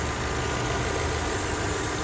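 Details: 1998 Lexus LS400, one owner, 99,240 miles, 1UZ-FE V8 with 5-speed automatic and no oil leaks: quiet, smooth low hum at idle with no ticks, knocks or hunting. Normal even idle.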